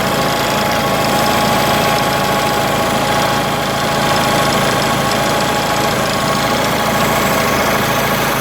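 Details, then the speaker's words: Onan 4 kW carbureted gasoline motorhome generator, carburetor mixture screw opened too far after smooth running: runs unevenly with wavering beat and shaky vibration, not a flat steady drone; rough running from over-rich mixture. "now as you can probably hear it's not running as smoothly see the vibrations in the sound it's not a flat sound it's like it's still not too bad"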